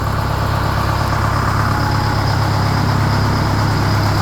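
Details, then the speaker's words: 1969 Hayes HD 6x6 Detroit Diesel 8V71, first start after 14 years parked and fuel system flushed: deep, steady idle with even low rumble, no knocks or stumbles; initial smoke clears, runs smoothly. "That one pipe quit smoking, so that's good. Sounds like it's running real smooth, too. And it didn't rev out and blow up, so that's an extra bonus."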